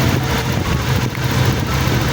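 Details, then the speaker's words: Honda Click 125 scooter, first cold start after cam chain tensioner overhaul for a tinny rattling engine: quiet even low idle beat, tinny rattle gone. "Try natin buksan mga kuys ha. Yan mga kuys, wala na yung tunog lata."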